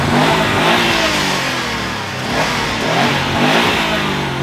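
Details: Subaru Impreza WRX STI Classic, hotwired after lost keys and an immobilizer issue: engine revs freely and rises smoothly under throttle with no knocking or misfire; starts and runs normally.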